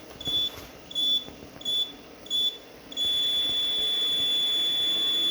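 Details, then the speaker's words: Land Rover Tesla conversion after a CAN redeploy to fix the PCS firmware mismatch: PCS converter still makes five short high beeps about every 0.7 s, then a steady tone, same as before; caused by a poor ground connection. "interesting it's making the same weed sound as before I was a bit stumped at this point"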